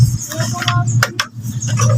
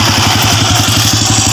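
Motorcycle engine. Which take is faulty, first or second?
first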